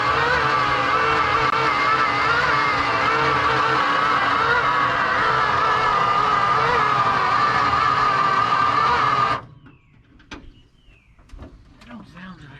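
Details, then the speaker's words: 1969 Dodge D-200 crew cab camper special: starter drags the engine over slowly, about three turns a second, then cuts out; slow cranking. "No, it seems like it's barely turning over."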